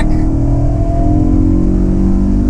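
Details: BMW E92 M3 S65 V8 after replacing a holed exhaust manifold (header) that caused limp mode, on its first drive after nine months off the road: strong, clean rising note under load with no ticking or puffing leaks. Accelerates normally.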